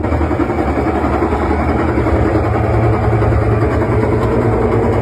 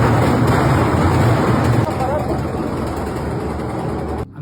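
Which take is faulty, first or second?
second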